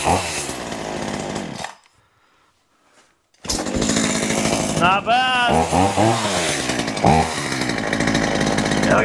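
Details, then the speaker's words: Poulan Pro two-stroke chainsaw, owned about 12 years, on 50:1 synthetic mix, cleaned up for a new season, bar oiling well. Revs up and down cleanly, a short pause, then strong crisp revs that pull up and drop back evenly: normal revving. "all right that seems to run pretty good"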